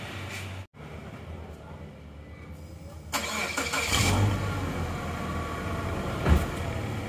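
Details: Suzuki Escudo petrol engine after rebuild with machined cylinders and new ring set, previously smoking from worn scored cylinders: starter cranks briefly, then a steady, even low idle with no misses or knocking; smoke now clean.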